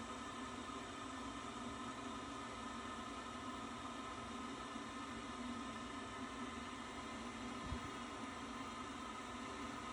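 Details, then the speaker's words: Worcester Bosch 30i ErP gas boiler after fault EA227 and a washing-machine-like noise, now restarted after the condensate trap and hose were checked and the siphon checked. Steady even hum with no bubbling: normal running after repair. "but blue light shows its recognizer demand that sounds a lot better and green light means go"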